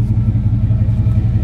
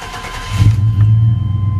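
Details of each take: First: 88–95 GM fullsize truck V8 after setting ignition timing with the distributor tightened (loose distributor hold-down): deep, even exhaust lope with steady pulses, no misses or ticking, less valve stick; normal idle. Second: 1988–95 GM full-size truck (Silverado/Sierra/Suburban/Tahoe/Yukon) started with set-timing connector unplugged, running on base timing; deep, uneven, lumpy hum idle running slow, check engine EST code expected, owner notes it had been shaking at idle.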